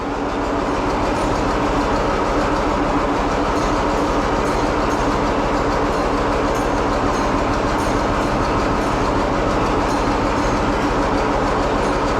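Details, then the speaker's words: Antique tractor pony engine: steady rhythmic chuffing as it's turned over, about three beats a second, never catching; fuel valve had not been turned on. "It would help if you remembered to turn the gas on."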